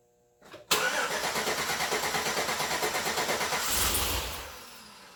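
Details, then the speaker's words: 2008 Chevrolet Suburban new engine first start attempt: starter cranks at steady rapid beat about three seconds, no firing; owner suspects no fuel, fuel pump upgrade not done; crank no start. "I think it's just fuel. Actually, it's not getting fuel."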